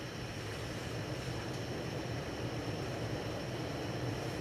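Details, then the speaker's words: 52-inch Hunter Original ceiling fan #23855 from April 1995, heavy-duty motor, on high at about 200–210 RPM: a steady low hum with a soft airy whoosh, no ticks, wobble or rubbing; running smoothly and normally. "high's going to run around 200, maybe 210 RPM. So a little bit of difference in speed."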